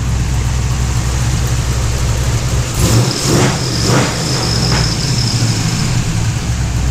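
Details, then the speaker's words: Third-gen car with an LS V8 on a Holley startup tune, not yet dyno-tuned, after a new alternator was fitted: deep, steady burble firing on all 8 cylinders with no squeak; normal idle. "So, yeah. Sounds a lot better with no squeaking. And it sounds a hell of a lot better on all 8 cylinders."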